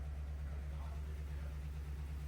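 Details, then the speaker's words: Friend's truck at first start after swapping in a replacement 6L V8 to cure rod knock: it quiets once oil reaches it and settles into an even rumble with no knock; a possible exhaust leak is questioned, and there are no check engine lights. "Exhaust leak? It ain't knocking. Hell yeah."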